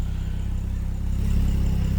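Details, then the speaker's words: BMW N55 engine idling 20 minutes, following gasket replacements and intake valve cleaning for misfires, not yet revved; steady, even low idle with unbroken firing rhythm and no misfires, head gasket suspected. "It's been 20 minutes. Okay, just gonna reset for another 10 minutes. But yeah, so far, so don't mind the broom cleaning up. So far, no misfires."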